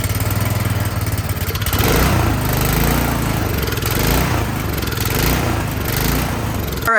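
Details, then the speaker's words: Craftsman snowblower small petrol engine that would not start, running after carburetor cleaning and priming: speed surges up and down instead of holding steady, hunting idle showing the carburetor still has a problem and needs another cleaning. "we still have work to do you can hear it surging that up and down so that tells me something's still going on in the carburetor"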